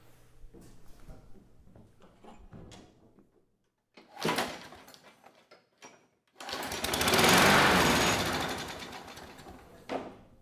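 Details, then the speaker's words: Curbside Craftsman mower 917.376655, Briggs Quantum 122T02 engine, no choke, primed by squirt bottle. A few pulls and clatters, then it catches, swells about three seconds and fades out. Dies from fuel starvation. "That was kind of short-lived. Let's try a little bit more fuel here. But it did sound good for that second."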